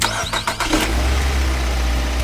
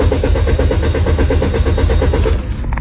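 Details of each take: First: Car that previously would not start despite new throttle valve, plugs and coils checked, after a part was cleaned and reinstalled: a few quick cranking beats, then clean catch into a smooth, even idle; problem solved. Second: Car that cranks but won't start despite a new throttle valve and checked spark plugs, ignition coils and fuel lines: starter churns evenly, about seven pulses a second, for over two seconds, and never fires. Cause: a dirty camshaft position sensor.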